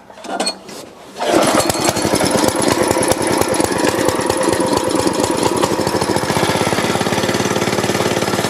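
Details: Store-bought plate compactor with an unknown Chinese Honda GX160-copy engine that had been starting then dying, now fitted with a new spark plug and original plug cap: starts after a brief quiet, then settles into a steady, even rapid thump with no misses; running cleanly.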